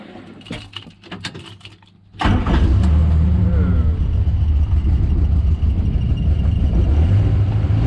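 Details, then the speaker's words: Morris Minor after draining stale varnish-smelling fuel and adding fresh fuel: engine fires into an uneven, lumpy beat near 220 per minute, running rough; owner suspects timing. "better that is running rough but it's running on running on fuel in the tank hey progress i think that's more sounds like timing"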